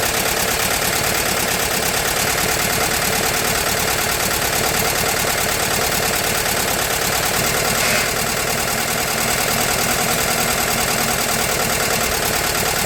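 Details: VW T2 Bay Window campervan, air-cooled carbureted flat-four, just restarted after engine refit and gearbox bellhousing replacement: busy, even air-cooled chatter at a steady idle with no misses or surges, idling healthily.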